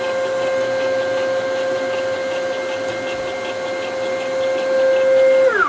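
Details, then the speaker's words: DIY CNC machine axis moves: steady high stepper whine with rapid rattle about three times a second while traveling, falling tone as it stops; noisy axis motion, owner suspects rail and ball screw misalignment, unconfirmed. "okay so let's just do some movements here and you'll hear this issue i'm i'm talking about it"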